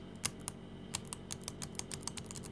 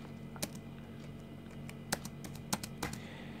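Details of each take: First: Used laptop keyboard: some keys give a gritty, crunchy click and press stiffly while neighbouring keys are clean; about 70% likely a past liquid spill, or possibly heavy dirt under the keys, suspected but not confirmed. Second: Healthy laptop keys pressed at random on a used, previously owned laptop: about six crisp, light clicks with no crunch or sticking, for comparison with crunchy, tight keys.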